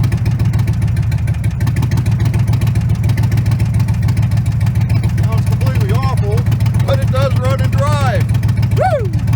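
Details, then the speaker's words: Truck thought to have wiped-out motor: deep lumpy V8 idle with uneven stumbling beat and no rod knock; cylinders 6, 7 and 8 misfiring, suspected wiped-out cam. "Okay, I bought this truck thinking it had a wiped out motor, but that's a wiped out cam. The motor seems doesn't hear any rod knock in there. We can see cylinder 6, seven, and eight are misfiring."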